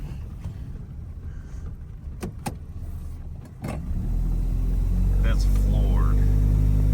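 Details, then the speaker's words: Toyota 2.4L truck at full throttle after the code was cleared and a loose distributor wire was fixed: the drone climbs to a loud, flat, muffled roar without pulling harder, still unchanged; clogged catalytic converter. "It's still doing the same exact thing. Like that's floored."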